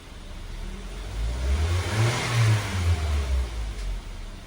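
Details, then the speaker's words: Mitsubishi Xpander revving after draining the too-thick oil and refilling (3.5 L capacity): smooth rise and fall with no ticking or rattle; the timing chain noise is gone, the oil was the problem. "Wala nang ingay. Nako. Langis lang talaga. Langis lang talaga ang problem."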